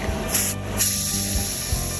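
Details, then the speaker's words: 2003 Ford Thunderbird 3.9L V8 A/C work during compressor and accumulator/drier replacement: refrigerant can's safety torn off and trigger pulled, giving short weak hiss bursts that fade fast; nearly empty can bleeding off its last pressure. "And then pull the trigger to bleed it off, which there wasn't much left, as you can hear."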